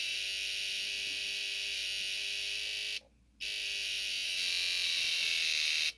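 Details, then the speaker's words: Gen2 Suzuki Hayabusa, secondary injector troubleshooting: relays switching so fast at a simulated 13,000 rpm that the clicks merge into a shrill buzz with short dropouts; normal operation. "Those relays sound crazy at 13,000 RPM."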